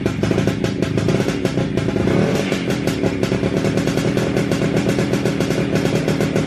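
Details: WSK 125 two-stroke motorcycle, engine rebuilt and refitted in the frame, at its first start after the overhaul. Crisp, rapid, even popping with no knocks or rattles, music in the background; normal healthy running.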